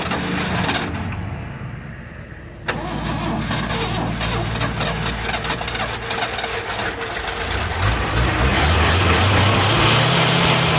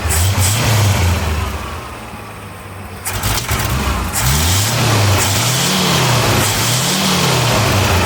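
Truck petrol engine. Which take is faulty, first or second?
first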